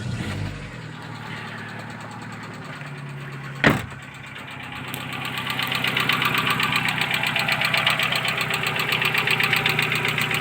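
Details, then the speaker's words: 2012 Chevrolet Cruze with 235,000 on the clock, just after start-up, oil unchanged for 10,000: a sharp, even tick-knock about four per second over the idle. Owner suspects hydraulic lifters or a piston with a broken skirt; unconfirmed, oil and flush change planned. "Всё стучит непонятно. Есть варианты, что это гидровики, есть варианты, что это поршень с отлотой юбкой."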